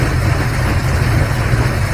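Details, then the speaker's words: Carbureted engine being tuned for northern Alberta winter, cold start after raising fast idle cam screw and two pumps: deep steady rumble, even cold fast idle on choke with no stumbles or surging; normal fast idle. "here it is actually idling now and so it should come up on fast idle as long as it's not super racy we'll be pretty happy"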